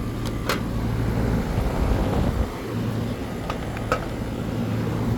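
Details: AC condensing unit running normally after a bad dual run capacitor was replaced (universal Turbo 2000) on a no-cooling call: steady low hum, even fan rush, no rattles or squeals. Compressor draws about 10 A, condenser fan about 1 A; suction pipe is cold.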